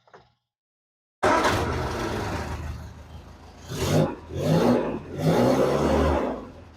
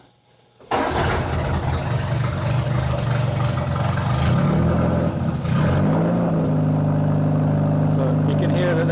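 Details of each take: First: Bugeye Sprite idling, then three throttle blips with a replacement muffler temporarily fitted in place of an old one that was nearly a straight pipe: exhaust even, muted and much quieter, no rasp; normal exhaust note. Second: Austin-Healey Bugeye Sprite cold start on choke with a used exhaust: it catches after a second and runs with a loud, boomy, barking exhaust rising on revs. The old muffler is nearly a straight pipe and is being replaced with a generic 1.5-inch one.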